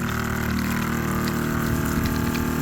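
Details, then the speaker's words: Sprayer pump switched on with the tank a quarter to a third full of water, testing whether it can draw: steady motor hum with an even pumping drone under water noise, no surging or rattling; drawing and running fine. "Pump on. Oh yeah, look at that. You can hear it. She's working."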